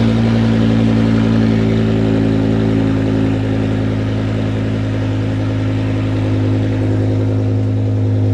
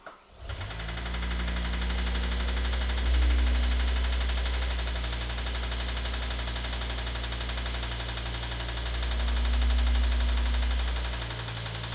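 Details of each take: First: 2006 BMW E60 M5 S85 V10, replacement used engine first start with exhaust off after fuel priming: loud raw open-header idle, even and steady, no misses or knocks; runs smoothly. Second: BMW E60 M5 V10 (S85) engine, recently rebuilt with new bottom-end bearings, idles with heavy, steady knocking about four a second that swells with each throttle blip: another spun rod bearing, engine blown.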